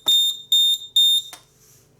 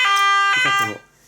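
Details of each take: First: Nugelec type 2A fire alarm panel with its sounder removed: three short, shrill beeps about half a second apart, then quiet; the panel flags a missing-sounder fault. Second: Nugelec type 2A fire alarm panel test: loud, steady electronic evacuation alarm tone sounding cleanly for about half a second, then cutting off; the sounder works normally.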